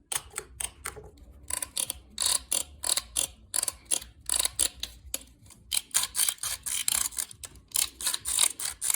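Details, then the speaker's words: Audi A6 C5, moving off in first gear, worst in cold weather: dry crackling creaks in quick bursts, a few a second, from hardened rubber mounts of the fuel pump basket rubbing as it moves; found while replacing the fuel pump. "сразу эти резинки не просто дико скрипят его длина салоне когда я начинал трогаться все время была такой вот именно что трещала скрежетало особенно зимой при трогании был такой характерный скрипящий звук"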